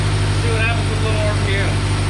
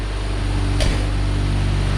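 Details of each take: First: 1990 Ford Ranger with a reman long block: revs blip and hunt unevenly, a little better but still not right, from a massive vacuum leak. The PCV vacuum line was left off the bottom of the throttle body. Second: 1990 Ford Ranger with a remanufactured replacement long block, running cold: smooth, even idle with no ticks or odd noises; it misfires and shakes, dropping a cylinder, only once throttle is applied. Normal cold idle.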